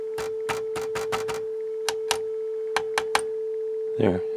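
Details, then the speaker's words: Sony TA-F40 amplifier on test tone into speakers, powered up for intermittent audio fault; irregular crackling pops and buzzing as the channel cuts in and out, traced to a bad ground on the speaker outputs. "it's back. You hear it buzzing as it goes in and out."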